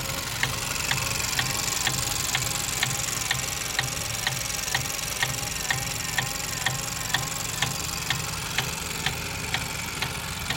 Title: Vauxhall Astra automatic, 1.4 Sri rhythmic clicking and ticking noise